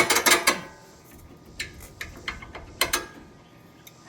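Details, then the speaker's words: 2005 Mustang GT rear brake caliper slide pin forced to turn during brake replacement: short, sharp squeaks and creaks; pins are locked up, seized. "Oh, she turned. You hear that? That squeaky noise."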